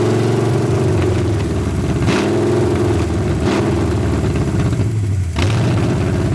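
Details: 1981 Ford Mustang 5.0 V8, parked since 1996, fed by a temporary micro electric fuel pump after the dry mechanical pump failed: loud, uneven idle that sags and surges with blips; owner suspects a bad vacuum leak, possibly the carb gasket, or off distributor timing.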